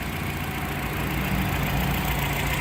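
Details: Petrol car engine at the shop idles smoothly with a steady low hum, no knocks or misses; normal idle.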